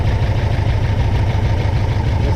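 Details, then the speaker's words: A freshly rebuilt Porsche 356SC engine idles low and lumpy with an uneven, pulsing beat. A sync gauge shows the left carburetor pulling far more vacuum than the right, so the carbs are unsynchronized and need equal throttle adjustment. "so the left-hand car is it's doing more sucking than a right-hand car so all i have to do is adjust these to where both carburetors are getting an equal amount of throttle"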